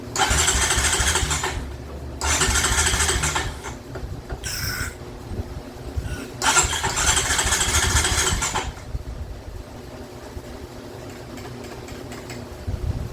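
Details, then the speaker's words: 2007 Honda Recon ATV, wrecked and left abandoned in a field: three long starter bursts with brief catches that never keep running. It tries to run, but the carburetor is seized tight. "She's trying to run, but that carburetor is just locked up about as tight as Fort Knox."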